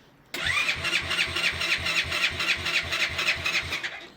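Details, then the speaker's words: Yamasaki RS motorcycle, just after engine rebuild with valve clearances set and a bigger exhaust: quick, rhythmic cranking pulses, about four a second, never catching, even with choke; weak battery confirmed, carburettor adjustment or air leak also suspected. "c'était ça c'était bien la batterie bon ça fonctionne plus ou moins"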